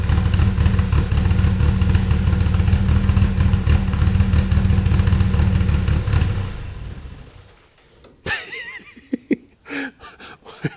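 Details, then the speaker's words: 2.7L 1AR-FE in an MR2 Spyder on a Haltech Elite 1500 ECU, stock but 280-degree cams and valve springs, warm: with intake cam advanced 30 degrees at idle, a deep lumpy loping idle; too much valve overlap. "all right so first let's advance the intake 30 degrees there it is so you can you can hear quite a bit of overlap"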